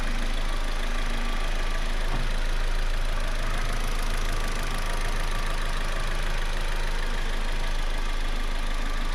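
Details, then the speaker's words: Saturn economy car idling right after a service: NGK spark plugs re-gapped from about 28 to the specified 35 and the air duct refitted. Smooth, even idle with a steady low rumble and no ticking, knocking or misses; normal, sounds perfect. "right, that sounds perfect."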